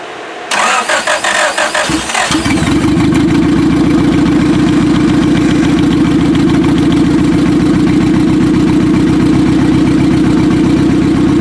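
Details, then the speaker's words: 1995 Acura Integra turbo B18, forged internals, new head gasket and aftermarket cams, first start: catches after cranks, idle pulses unevenly with a stumbling beat; suspected misfire, some cylinders possibly not firing. "Sound like some of them weren't exactly doing their job. I don't know if you should try to clear it out a second."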